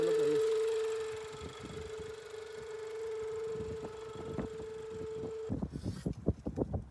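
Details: Range Rover with check engine light: a steady mid-pitched whistle over the running engine, then clatter, heard via hose at mid intake manifold (belt quiet); a broken/collapsed PCV hose running through the intake manifold causes the vacuum leak.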